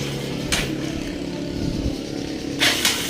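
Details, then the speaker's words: Honda TMX 125 after its old CDI was swapped for a 4-pin CDI to fix no push-button start (kickstart had worked): it now starts on one click and idles steadily with sharp blips, running cleanly. "So kanina ayos siyang mag-start sa push button. Ayun oh. One click na lang mga boss."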